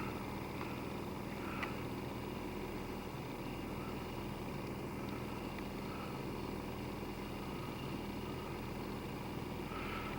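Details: 1995 Nissan Maxima 3.0 after replacing torn intake boot, holed spark plug wires and plugs to fix misfire: quiet, steady cold idle with even beat, no stumbles, knocks or hunting; fuel trims still settling.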